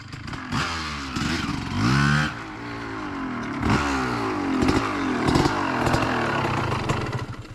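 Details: 2003 Honda CR250R two-stroke dirt bike riding after idle adjustment: revs climb in short bursts then flatten with muddy, rattly note; bogs, won't pull to high rpm, owner suspects carb needs re-jetting.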